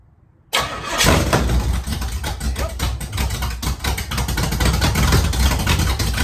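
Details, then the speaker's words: 1968 Pontiac Firebird V8 project restarting after work on transmission seals and gas leaks: brief cranking with no catch, then engine runs ragged and lumpy while clearing; owner suspects he flooded it, hard starting. "huh that don't even want to try [Music] okay got nothing fiddle sticks I bet I flooded it so I flooded it"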